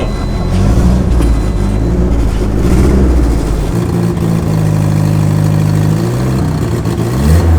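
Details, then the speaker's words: Raspy puffing chuff rising and falling with throttle blips over a very quiet exhaust; exhaust leak heard more than the tailpipe note because the exhaust is so quiet. "that exhaust leak sounds great it sounds worse because the exhaust type is really really quiet so you don't even hear it coming out the back you just hear the exhaust leak"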